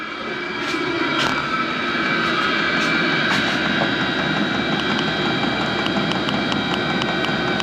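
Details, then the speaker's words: HCalory SS2 diesel heater turned down to level five, mid setting, drawing about 25 W: steady even blower roar with a soft combustion hiss, no surging, popping or knocking; running normally. "okay folks we just bought the diesel heater down to level five that's right in the middle"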